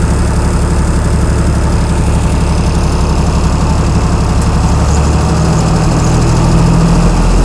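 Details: Chrysler 225 Slant 6 generator engine with new Holley Sniper EFI, idle screw adjusted by hand aiming for about 1800 rpm, governor not yet connected; deep steady thrum at constant speed, no misses or knocks; normal governed-speed running.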